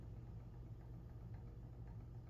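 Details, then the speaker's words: Electric motor pinion and spur gear mesh being set by sliding the loosened motor forward until only light clicking remains; steady low motor hum with faint, light clicks, showing correct pinion/spur gear mesh. "See, like right now, it's making all kinds of racket. So I'm gonna take and move my motor forward a little bit, and the top bolt is loosened, and the bottom one's loosened too. It's still making a lot of clicking, so I'm gonna take and move my motor forward just a hair more."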